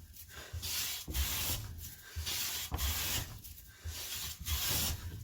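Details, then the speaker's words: Clifton No. 5½ hand plane after its tracking problem was fixed: long, even strokes about every two seconds with no chatter or skipping, no plane tracks left. A clean, consistent cut. "let's see no playing tracks at all let's go the whole thing very light shaving"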